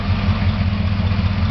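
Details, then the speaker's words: 1956 Chrysler 354 Hemi V8 street rod engine, revived after storage since early 1990s, run periodically for a month: deep, even idle with no valvetrain ticking; previously sticky lifter has freed up, normal idle. "since then that lifter has freed up you don't hear it at all this time so that's not gonna be an issue"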